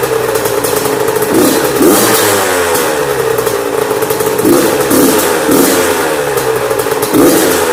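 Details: Yamaha YZ85 two-stroke after top-end and water pump rebuild and clearing a mouse nest from the plugged exhaust header. Crisp no-load blips during break-in, alternating rpm to seat the rings, with clean pickup each time and no misfire: normal two-stroke revving.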